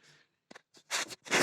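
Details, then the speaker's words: Camshaft rocked by hand with bucket tappets removed and bearing caps tightened: sharp metallic clatter in short bursts; journals worn at both ends, excessive camshaft journal clearance; owner considers filing down the caps or finding another camshaft. "Так валы стучат."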